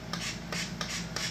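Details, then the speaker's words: RC submarine being checked for a new owner: short whirring bursts about three times a second as the ballast servo runs, but the ballast linkage does not move; top channel also not working; possibly disconnected, not yet traced. "I can hear the servo moving but I can't see the ballast linkage moving no all right adjust that and the the top one's not working either"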